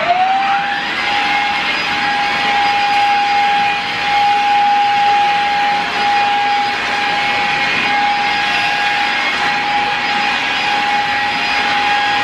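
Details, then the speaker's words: Shark Rocket upright vacuum running over carpet: steady high motor whine with airy rush, no pitch change; low suction, vacuum appears clogged, to be taken apart and cleaned. "where this vacuum cleaner is pretty clogged up so let's dig a little deeper and we'll find out what's going on here"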